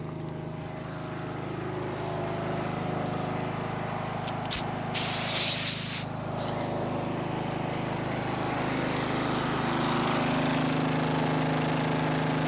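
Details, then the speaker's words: Snapper riding mower, garage-stored by the original owner, idles after the angled fuel tank that starved it of fuel was set back in place; its small single hums at an even idle with a steady pulse and a short hiss, healthy. "well engine runs so that's great"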